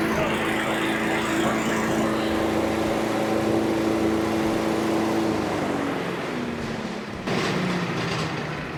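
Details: Cub Cadet leaf vacuum (yard vac) after a won't-start fix by carburetor rebuild, started on choke: small engine holding a steady note with fan rush over it, no surging or stumbling; normal running.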